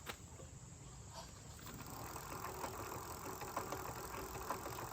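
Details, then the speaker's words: Rear hub motor e-bike after riding a real mountain trail: an uneven ticking rattle of about three clicks per second over a quiet motor hum, from dislodged magnets loose inside the hub. "the magnets that go around the Hub on this motor got dislodged so they're loose that's what causing that noise that's what that rattling is"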